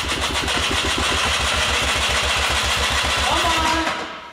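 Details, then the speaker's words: Blown quad engine rebuilt with a 3D-printed carbon-fiber piston: choppy, uneven popping with smoke for a few seconds that never smooths into idle, then stalls. It seems to have compression, choke setting uncertain, cause not confirmed. "oh my gosh okay it started to run there come on oh it wants so come on come on we got smoke it's doing something"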